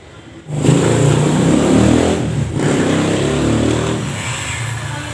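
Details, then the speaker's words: Older carbureted Honda Beat scooter revving with a loose, uneven klotok knocking under the engine note, from worn, dented CVT rollers and a worn roller housing, which sounds like a loose piston. "kalau udah kena ya bunyinya sama klotok-klotok ya Nah ini nih jadi si Bos ini sama Bosnya udah nggak sopan Lagi jadi bunyinya seperti seher yang longgar ya efeknya ke roller nih rollernya pada penyok ya"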